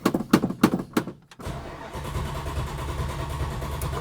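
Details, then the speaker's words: 1971 Plymouth Hemi Cuda cold start after sitting, battery previously weak: four slow cranking beats, pause, then catches into a lumpy idle; owner suspects modern fuel evaporated from the open carburetors leaving them dry. "and should go by the fourth time usually oh I'm a liar come on see the modern fuels all evaporate out of these open circuit carburetor systems so every time you go to start it it's completely bone dry"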